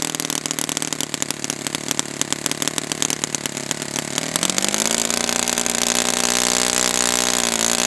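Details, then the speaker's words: Brand-new Saito FA-100T twin on a test stand, break-in run: fast crackling twin-cylinder buzz climbs smoothly in pitch around four seconds and holds steady at high speed; rich, oily exhaust residue after every run, not lean, running really well. "And this engine is got so much oil coming out, so it was not lean at all. I mean, there's oil dripping from my finger here. And I wiped this residue off this table after every run. So this thing is really good."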